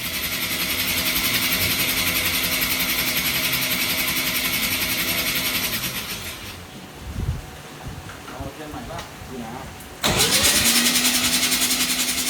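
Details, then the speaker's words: 13b rotary engine (RX-7) in a Thai longtail riverboat, first start attempt jump-started off another RX-7 rotary; starter whirs with steady pulses about three or four a second but engine never catches; cranks without firing. "that close baby it turned over that's all that matters"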